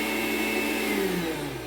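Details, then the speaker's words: Mondial stand mixer that turns on but won't beat: motor whines steadily, then pitch sags and drags as its frayed toothed drive belt, teeth worn, slips off and jams the motor; worn belt must be replaced. "correia já caiu a correia não aguenta a correia está danificada"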